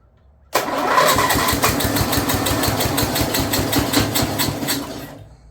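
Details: Snapper rear engine rider with Briggs 12 HP engine, abandoned for years, brand new carburetor leaking fuel with choke open; under throttle the beat stays uneven and surging; owner feels carburetor isn't happy, cause unconfirmed, blade also turning.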